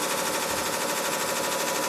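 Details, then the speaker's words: 1986 Carrier Siesta 6100 BTU window air conditioner on fast fan: a fast, steady clatter like a blade ticking on every turn. The lower radiator section had rusted off its mount, so the fan rubs against its guard. "it sounds like there's something caught inside of it"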